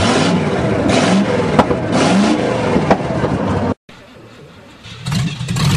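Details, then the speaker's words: 1963 Allis-Chalmers non-articulating front-end loader with 1978 Monte Carlo 305 V8 (replacing 3-cylinder Detroit diesel), after sitting years, fed from gas can: cold engine surges unevenly, dropping away and picking up, needs throttle to keep running. "Whoa, I guess we do need to give it some throttle. Yeah. Push that throttle."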